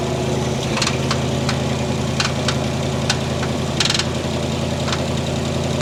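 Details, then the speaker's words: 1960 Chevy Brookwood wagon engine, revived after 20+ years sitting with rebuilt carb, steady idle with sharp irregular metallic taps every second; suspected rod knock inside the engine, unconfirmed. "whatever it is it's definitely definitely inside the engine there"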